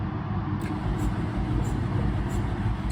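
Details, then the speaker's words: $200 Honda CR-V with seized wheels, brake cleaner sprayed in: slow uneven chugging near two beats a second, no firing, no fuel pump heard; owner suspects no spark; low compression, cranks without starting. "So you can hear it sounds weird."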